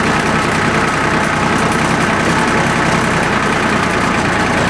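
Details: Small Yanmar diesel with three injector lines, just restarted after air was bled from the whole fuel system following a fuel filter change that left it unable to start: loud, steady, even clatter at idle with no stumbling, hunting or missed beats.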